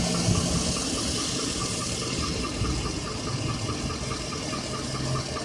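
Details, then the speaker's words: 2007 Chevrolet Avalanche at idle: light, fast, regular ticking about four per second; judged to be something running inside the engine rather than a lifter. "It's not lifted. No, it's something running inside the engine. It's click, click, click, click, click, click, click, click, click, click, click."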